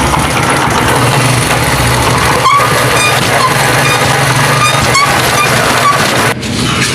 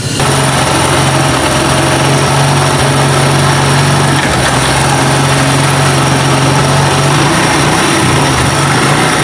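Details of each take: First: Honda CD 70 motorcycle, engine running in first gear; loud rough continuous rattle, worst under load, lighter in other gears, as if gears catch inside; suspected broken part in the gearbox, needs engine teardown to confirm. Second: Honda CD 70 motorcycle after repair of loud gear noise in first gear under load: started and run through the gears after adjustment and engine reassembly. An even, steady drone with no knocking or grinding, so the fault is cured and the sound is perfect.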